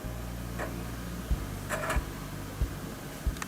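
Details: Lenovo H50-50 desktop (2016) optical drive reading a Windows 10 install disc at boot; low steady hum of the spinning disc with soft clicks roughly every two-thirds of a second as it seeks, normal drive operation.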